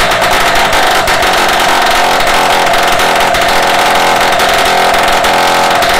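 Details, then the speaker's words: Restored Solex 5000 two-stroke moped engine, first test run on workstand after rebuild, before refitting to frame: steady high buzzy note at even speed, no stumbles or misfires; runs quite well. "écoutez il est allé à marcher pas mal"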